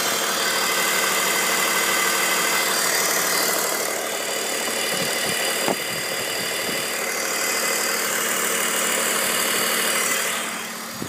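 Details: 2002 BMW 530i at idle: constant airy hiss over steady idle with light ticking underneath; owner suspects CCV or vacuum lines, possibly VANOS seals and rattling VANOS bearings; unconfirmed.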